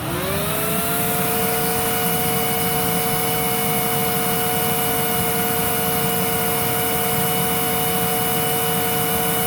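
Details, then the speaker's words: Filter Queen Majestic 360 vacuum, 5.1" 119649-00 motor dated 06/30/2004, airflow test on low with genuine cone: whine climbs over about a second then holds steady with airflow rush; slow to reach peak, motor believed healthy. "i wonder what it is about this design that causes it to do that because most of the machines are at their peak within moments but this one takes a little bit to get up there"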